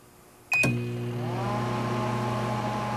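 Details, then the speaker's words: 1988 Sharp Carousel II microwave with no turntable, running a fluorescent-tube function test on a wood block. A click and beep, then a steady low mains hum with fan rush; running normally. "So if the microwave works, that fluorescent tube ought to light up."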